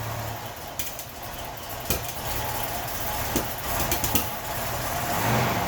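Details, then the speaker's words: 1981 Datsun 280ZX non-turbo on cold start labours unevenly under about quarter throttle with sharp backfires, wanting to die; fuel pressure 35 psi at idle, 40 under throttle, smooths out above 2000 rpm. "you can hear the same thing it's just kind of fighting through it and uh getting some backfiring"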